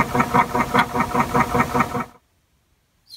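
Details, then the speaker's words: 1984 Acoustic Research (AR) turntable, Hurst motor running with the belt on: steady clicking about two and a half times a second from inside the motor. The cause is not yet known, before servicing. "there's a definite click in the motor so here it is with the belt"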